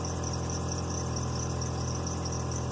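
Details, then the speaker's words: Petrol engine idling smoothly with a steady low hum after a PCV hose with a chunk missing was replaced; compression was 155–160, and the earlier rough idle came from this vacuum leak. "not subtle that's great god i wonder how long that's been that way oh my god oh that sounds so much better"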